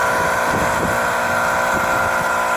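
Steady buzzing mechanical drone with a high hum and faint irregular rumbles underneath; the heat pump runs abnormally loud, cause unclear.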